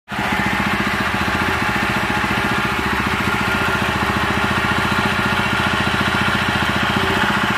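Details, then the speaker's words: Honda GX160/200 engine after replacing worn piston and damaged governor gear, which caused white smoke and stuck high throttle: steady even running, quiet, no roar, repaired. "Suaranya kembali tenang, tidak menggelegar lagi. Semuanya sudah beres sekarang, teman-teman."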